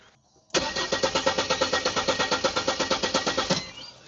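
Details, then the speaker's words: 1997 Mercedes SLK230 R170, M111 supercharged engine, stopped suddenly weeks ago; no fuel at the rail test nozzle, fuel pump suspected: starter spins at a quick, even beat about three seconds and never catches; crank, no start. "In this case, there is no gas coming out, so I'm pretty sure there is fuel issue."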